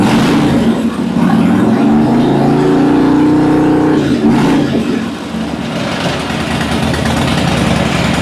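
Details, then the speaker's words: 2006 Harley-Davidson Dyna Wide Glide, low mileage, after repair work: V-twin settles into a steady, even lope after a brief blip, no misses or cutting out; never sounded that good. "Yes. Yes. We did it. We did it. We did it. Now, I hadn't written it yet. It's never sounded that good."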